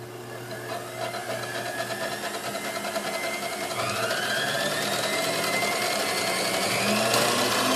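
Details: Hamilton Beach Model C mixer with a previously replaced cord, before restoration: steady motor whir with fast light rattle, tone rising partway; runs well despite rust.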